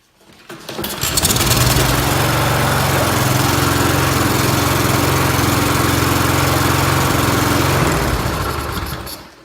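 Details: Briggs & Stratton mower restarted after carburetor cleaning fires up and settles into a steady, even drone at constant speed with no surging or misfiring, then shuts down cleanly; running well.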